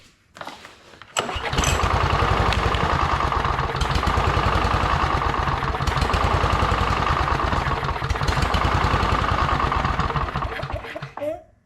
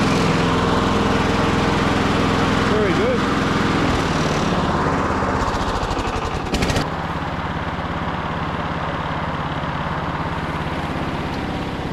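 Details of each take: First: Victa Briggs & Stratton push mower from hard rubbish, sitting about two years, primed: a couple of failed pulls, then it catches into a fast, slightly uneven chug; hard start after storage. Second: Victa Briggs & Stratton push mower after fitting a new trimmed cable: even, rapid single-cylinder putter at a steady pace, no misses or surging; engine sounds healthy.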